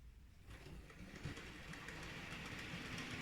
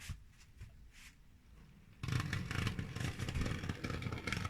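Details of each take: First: Model railway loco on the layout: light, even motor whir with soft rail clatter, no stutter or surging, running smoothly; same loco elsewhere struggles pulling a heavy load forward up a just-over-1% incline. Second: Model railway loco pulling a heavy load forward: quiet hum, then rough clattery scraping drone that never smooths out as the motor labours; runs smoothly backwards on the level, struggles forward loaded; cause unknown.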